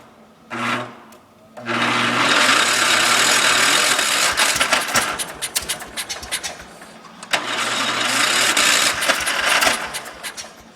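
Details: John Deere 140 cold start: hard start with extended cranking. The starter turns over in long, ragged, uneven bursts and the engine never catches cleanly. Lack of fuel is suspected but not confirmed.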